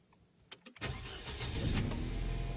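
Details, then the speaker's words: Nissan Tiida starting after its battery was reconditioned: a few quick starter turns, then the engine catches right away and settles into an even idle. Normal start after the battery repair. "if you heard, this strip started correctly and it worked."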